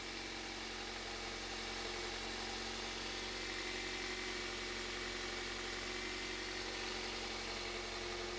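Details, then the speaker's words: 2001 Toyota Avensis after replacing the failed ignition coil: quiet, even idle with a light steady hum and hiss, no stumble or misfire, waveform looks okay and car runs a million times better; normal idle after repair. "but yeah everything kind of looks okay car runs a million times better"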